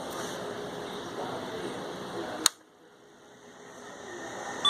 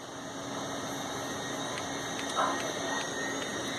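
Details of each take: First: 286 PC POST beeps: two beeps suggesting a fault in first 64 KB of memory, then eight beeps indicating video error, caused by an 8-bit video card plugged into a 16-bit slot. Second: Old 286/Pentium-era PC at power-on: faint light ticks about every half second through the PC speaker over steady fan hiss, one tick per tested memory increment; normal memory test at POST.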